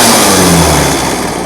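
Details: Old chainsaw, unused about 5 years, after an idle adjustment: the two-stroke screams up at full throttle immediately and holds a high, clean rev with no bogging or sputter; healthy running.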